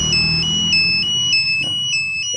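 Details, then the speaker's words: Smart-key alarm on a new Yamaha NMAX scooter: after forcing ignition on about 7 seconds without the remote nearby, the remote emits high chirping beeps about three per second with buzzing vibration, signalling a triggered alarm. "Ketika saya paksa kurang lebih 7 sampai ya kurang lebih 7 detik ya, maka yang di sini akan teriak."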